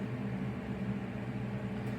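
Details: SUPER DEAL portable twin-tub washing machine wash motor running: steady even low hum with no knocks or grinding. Normal operation of the wash motor; the spin dryer side is separately non-functional.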